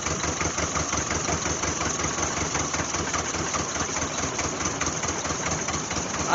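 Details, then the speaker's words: 1988 Jeep Wrangler 2.5L four-cylinder cold start at about 43°F with new plugs; lumpy uneven idle, stumbling with missing pulses, rear two cylinders not firing. Owner suspects timing/spark issue. Misfire at cold idle. "would say that's no better so we're still not figh on those rear cylinders"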